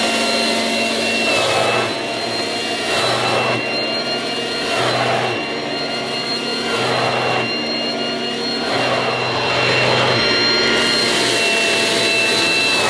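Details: 1980s mains-powered Goblin Roto handheld vacuum cleaner, rotating agitator brush pushed back and forth during demonstration: loud, high motor whine with a rhythmic swell; very noisy but running normally and fairly effective.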